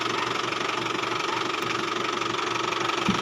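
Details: Isuzu Travis diesel idle: steady whining hum on top, noisy steering when turning even after belt was replaced; seized power steering pump bearing.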